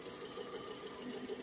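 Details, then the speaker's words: VW EA111 1.6 engine, 2010: thin, steady high squeal over a quiet idle, unchanged in pitch, from the small A/C compressor belt; an old belt was refitted and the noise is fading, not the timing belt or water pump as first suspected. "mas aqui é o barulho aí, ó. Correia do ar condicionado. Botei a antiga."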